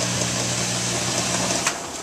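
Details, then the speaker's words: Frigidaire stacked laundry top-load washer that wouldn't drain (120 V present at the pump): after a foreign object was removed from the drain pump and water added, an even low pump hum then clean stop, no rattle. Normal drain pump operation. "Okay, so removed a foreign object from the pump and put a little water in there. I'm going to run it. And you can hear the drain in the back."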